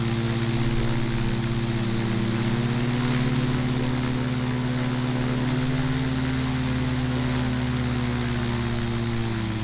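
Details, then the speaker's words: Newly built gyrocopter with Duke Flash 2 three-blade prop, first running test: steady propeller drone at constant even pitch, no misses, knocks or surging; new engine runs smoothly. "all right guys so as you just saw we have the first running tests of the gyro it feels so good to actually hear the motor start on this thing after so long of working on it putting it together"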